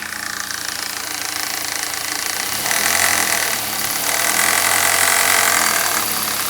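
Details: 1995 BMW 318is E36 with the 1.8 engine, running: a fast, even ticking about four times a second over a hissy, buzzy background; the source of the noise is unclear and the owner is asking what it is.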